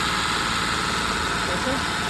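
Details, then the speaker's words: Mahindra Bolero BS6 diesel with DEF/urea fault, during scan-tool-commanded DPF regeneration: steady raised idle above 2,000 rpm with even hum and no throttle input; normal fast idle of active regeneration, which later completed successfully. "तो री generation अभी भी continue है देख सकते हैं RPM दो से ऊपर है एक्सलेटर पेंडल प देखिए खुद बुद यह आरपीएम हाई है टेस्ट रनिंग में है"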